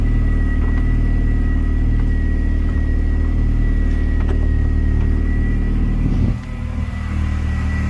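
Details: R53 Mini Cooper S after reinstalling new power steering lines, assistance restored and no leaks: smooth, steady idle with even low rumble and a faint constant whine, no groaning or squeal; healthy.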